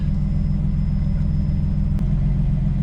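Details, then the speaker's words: Built 550hp forged RB25DET Nissan R33 Skyline starting after fuel priming the line, then settling into a deep, steady idle rumble with no misfire stumble or knocking; normal idle. "It's just getting fuel into it. There we have it. Got it started."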